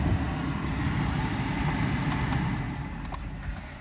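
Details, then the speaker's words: Mercedes S600 V12 with rebuilt throttle bodies and Egas module, cold start at 77 outside, just started: steady even low rumble, no knocks or misses, idle speed held; normal cold idle. "Now this is the Egas that was installed, and it is keeping the speed. It's a cold start. I just started it."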